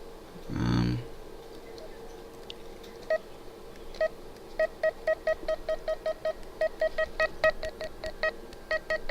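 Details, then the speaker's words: Garmin GPS after its speaker was cleaned of packed iron filings and its USB port of lithium grease. Crisp, clean mid-pitched beeps with no crackle or crunchiness. The speaker now works fine. "it sounds good I'm fairly confident this is working fine now"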